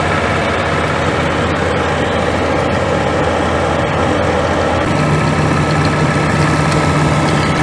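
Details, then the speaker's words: Scania G410 with 13L OC13 methane gas engine, about 400,000 km, after rebuild for overheating without antifreeze (cracked heads): quiet, low steady idle, no knocks or misses; normal idle. "Слушай, она так тихо работает? Тихо так работает? Это ж бензиновая."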